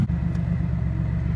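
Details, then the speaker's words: Celica GT-Six after fixing a fuel issue that caused poor running, air-fuel reading 14.7: low steady rumble with a slight rise and fall; idle fluctuates a little, cause not pinned down. "so the car is running great but you can kind of see the fluctuating idle"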